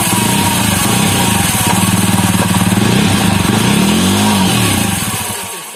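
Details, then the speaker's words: Jawa Perak single-cylinder after tightening the previously loose rear sprocket nuts with a 6 mm Allen key: even beat about four pulses a second, no clack or knock from the drive; sprocket running quiet. "यदि नट ढीला रहेगा तो इस तरह का आवाज होगा, और नट टाइट कर दीजिएगा तो इस तरह से आवाज नहीं होगा।"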